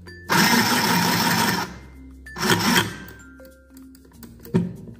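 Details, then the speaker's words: Portable mini sewing machine that had not run because a connecting gear was mispositioned, after refitting the gears: a short even burst of fast needle chatter over a steady motor whir, with music behind. It now runs normally. "Sudah bisa tersambung"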